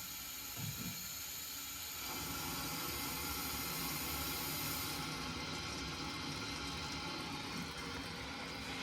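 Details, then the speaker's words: Lochinvar boiler air separator after new vent head fitted and feeder opened: steady airy hiss rising after a couple of seconds over the water-system hum, air bleeding freely, which it wasn't before repair; normal venting. "Let's get our feeder opened. Hear that air being hissing out of there, which you weren't getting before."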